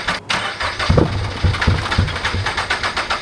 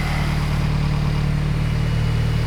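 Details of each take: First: Turbo Toyota GR86 after fitting 1050cc injectors and a DeatschWerks 300c pump, first start attempt: steady cranking about three and a half beats a second, briefly stopped then resumed, never catching. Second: Turbo Toyota GR86, just fitted with 1050cc injectors and a DeatschWerks 300c fuel pump, first run after the install: smooth, even idle with loud injector ticking and a loud pump on top, no fuel leaks, running healthy.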